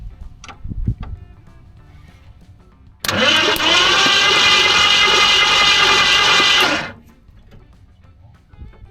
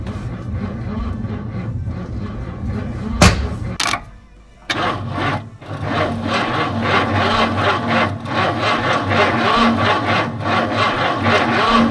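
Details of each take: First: 1970 Ford Mustang Fastback, possibly 351 V8, sitting 20 years, oily plugs: starter spins the engine freely and evenly about four seconds, fast steady churn, no binding; healthy cranking. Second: 1970 Ford Mustang fastback, believed to be a 351, with headers, after sitting 20 years and having its solenoid found bad: the starter drags slowly at about four turns a second, labored and uneven, before catching; a weak battery suspected.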